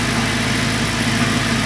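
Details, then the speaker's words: Audi R8 at idle, listening on top of engine: even idle with fine, quick mechanical ticking from the high-pressure fuel pump and injectors; sounds normal, apart from a separate oil pan noise. "Ist top. Die Einspritzventile so. Die Hochdruckpumpe."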